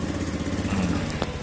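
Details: Honda New Scoopy scooter after cleaning the injector with carburetor cleaner to cure hesitation, when ECU, TPS and altitude resets had not helped: idles smoothly and evenly with a steady low hum, no stumbling or misses; normal idle.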